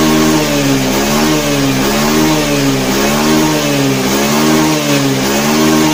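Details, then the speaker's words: Honda Beat FI scooter after reset with jumper to fix bogging on throttle: engine revs up and down in smooth, even swells, pitch rising cleanly each blip; normal throttle response, fault traced to the TPS sensor, fuel pump pressure slightly weak. "pelan-pelan Oke berhasil ya jadi permasalahannya ada di sensor TPS"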